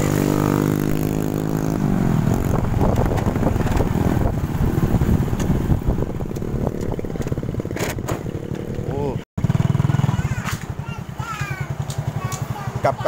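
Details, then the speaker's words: Honda Supra 125 single-cylinder after repair for a rough engine: block rebored for an original oversize piston. After half an hour of warm-up and a test ride, the beat is even with throttle blips and no knocking or rattle: normal running. "ternyata mesinnya masih jos fenomena ini masih masih halus ya"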